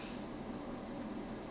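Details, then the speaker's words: Kalorik AFO 46129BK air fryer oven after repairing a faulty selector connector pin, toast selected: soft, steady whoosh of the lower convection fan with no rattle, scrape or wobble; running smoothly. "so I'm going to select toast and I hear the fan in the stove down below lower"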